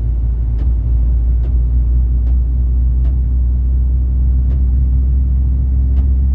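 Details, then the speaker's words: Ford Ranger 3.0 Power Stroke diesel, 175,000 km: under a deep steady rumble, a sharp metallic click about once a second from the gearbox area, worse with 4WD engaged; traced not to the gearbox but the transfer case. "O cliente veio até nós relatando esse barulho absurdo aí no câmbio. E quando liga a tração, o barulho piora."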